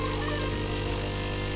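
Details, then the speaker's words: DeLonghi coffee maker that hummed but dispensed no coffee, after repair and full reassembly, warmed up with the portafilter loaded: the pump builds boiler pressure with a steady low buzzing hum, no sputter or strain; normal pump operation. "И нажимаем пуск. Помпа создает давление в бойлере."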